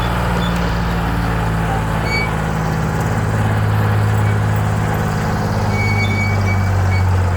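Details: Detroit 6V71 two-stroke diesel in a 65-year-old Allis Chalmers HD14 crawler, first cold start after 24 years idle (it once ran away; governor thought stuck at full fuel): deep, steady drone with an even low hum, no knocks or misses; running smoothly.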